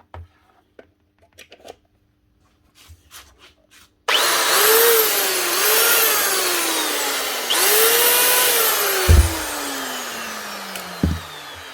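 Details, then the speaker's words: Makita 9911 belt sander (76x457 belt), customer suspected bearings: motor whirs up with a rhythmic slapping about once a second that sags as it runs down; not bearings, a broken belt. "or just not running at all that's not bearings that's just the belt"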